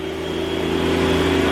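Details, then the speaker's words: Beam central vacuum powerhead after handle and wiring harness replacement. Steady motor hum with a constant whine and brush whir rising as it spins up, even and smooth; switching one way runs the brushes, working normally. "but it worked so pushing this one way is supposed to turn on the brushes turning it the other way should just turn on the vacuum"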